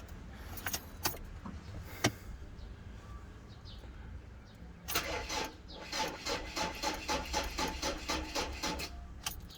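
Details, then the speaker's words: Ford Ranger pickup with a repeatedly discharged battery, first try on a 70mai jump starter: after a pause, sluggish, uneven cranking at about four turns a second that never catches; weak turnover from a flat battery, boost not enough. "Ayan. Medyo mahina. Nagka-crank na siya pero hindi pa rin kaya."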